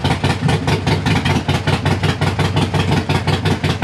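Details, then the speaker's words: Harley-Davidson Sportster at idle after replacing the leaking front exhaust gasket (leak appeared after a 1900-mile, four-day trip), heat shield and O2 sensor refitted: still loud but much better, lumpy V-twin beat with no ticking or exhaust puffing; normal idle. "it's still loud but it sounds a hell of a lot better no"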